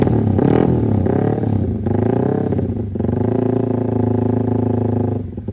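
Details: Yamaha Jupiter MX with 65mm bore-up, after test drive: clean revs rising and falling smoothly with steady even exhaust note, no knocks or misses; engine sounds healthy.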